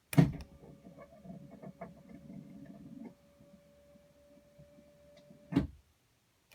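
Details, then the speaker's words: 2007 Itasca Suncruiser 35L motorhome left slide-out room lock button held: click, then about three seconds of buzzing motor whir dropping to a faint hum before stopping; normal slide-out lock release. "You'll hear it making noise as it unlocks, and then once it's unlocked, you'll just hear the tone change."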